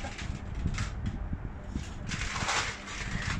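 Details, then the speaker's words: Panasonic F-M14C7 ceiling fan running: steady low buzz with uneven rattling, shaking thumps caused by a faulty circuit board, not lubrication; fixed by replacing the control board. "So just replace the circuit board and this sound will be removed."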